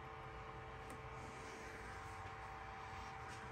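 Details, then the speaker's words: Onefinity CNC controller powered up with the e-stop and power switch bypassed after the faulty e-stop switch was found. Steady low hum with a clean, constant cooling-fan whine and no rattle: the fan is running normally. "bypass the e-stop bypass the power switch and it works you can hear it running fan is spinning that's always a good sign"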